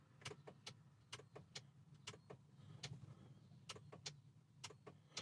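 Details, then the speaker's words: BMW Mini Cooper door with ignition on: sharp dry clicks in quick pairs as the window switch is pressed, relay heard but no motor whir; window won't go up or down. "do that, but I can hear a relay, but nothing happens. So that's with that door."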